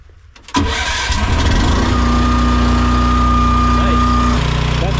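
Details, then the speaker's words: AGT Industrial H13R mini excavator buried in mud all winter with the battery left in, cold-started on choke with throttle about 3/4 then more; a few seconds of cranking, then it catches and settles into a lumpy idle; slight struggle but it started. "pretty crazy. So, leaving the battery in the machine the whole winter. Slight struggle in the beginning, but it worked."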